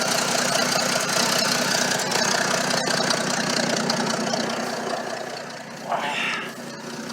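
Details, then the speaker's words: Ex-military Ford tug V8 with a makeshift exhaust now fitted: rough idle with an uneven thump about three times a second, sounding like a miss; cause not confirmed. "Oh, sounds like it's got a miss."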